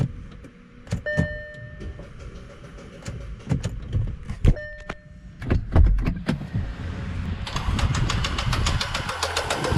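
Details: Audi Q5 2.0 TFSI towed in as a non-start: the starter cranks faster than normal with repetitive light tapping and no compression beats. Compression and leakage tests show valve sealing loss; failed timing chain, suspected bent valves contacting pistons.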